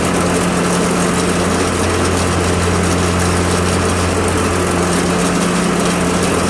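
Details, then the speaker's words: Craftsman Z530 zero-turn, blades engaged before repair: steady engine drone with a coarse rattling roar from the deck, which vibrates badly with the idler arm jumping; possible bad belt, idler pulley or spindle bearings, or bent blade. "The deck is vibrating pretty bad. We can see the idler arm jumping up and down a lot. That can be caused by a bad belt. It can be caused by a bad bearings in one of the idler pulleys or in one of the spindles or a bent blade."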